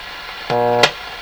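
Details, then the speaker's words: Sony TR-712 transistor radio, signal-injected tone into the transformer input side comes through buzzy, full of harmonics and hum, while the output side sounds clean; distorted audio output. "yeah that sounds full of harmonics that doesn't it's got the hum in it"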